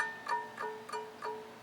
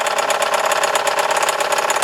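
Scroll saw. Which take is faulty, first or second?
second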